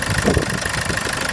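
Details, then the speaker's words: 2009 Land Rover Freelander 2 diesel, first start after fitting an EGR blanking plate: steady, even idle with its usual light clatter and no misfire or hunting; normal idle. "Seems to be running okay."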